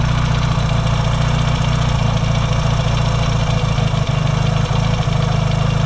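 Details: Yamaha XS650 twin, engine just reinstalled after fixing its oil-burning problem, first warm-up start with points not yet properly adjusted: steady deep even idle with soft regular pulse, no misses or knocks; no longer smoking, healthy warm-up.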